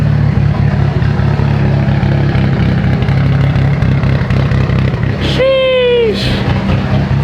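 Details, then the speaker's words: Mitsubishi Evo 8 after cylinder head work, running 15–20 minutes at operating temperature, not overheating, oil pressure good: deep uneven loping idle with steady low rumble, no misfire; normal very lopey idle. "oil pressure is good yeah there's no misfire it's just a it's just a very very lopey car"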